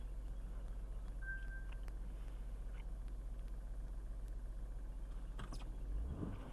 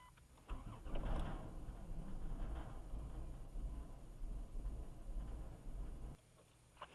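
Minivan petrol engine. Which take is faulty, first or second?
second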